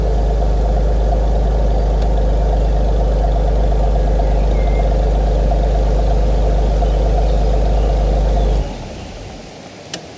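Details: Idle of a 25-year-old BMW E46 inline-six of 150 hp: a steady, even low hum with no ticking or knocking, then a clean shutoff. A normal, healthy idle.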